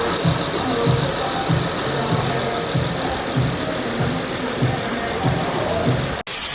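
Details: Honda Accord idling with a steady, even rhythm and a soft regular pulse, no flapping or rattling from the front drive; sounds healthy.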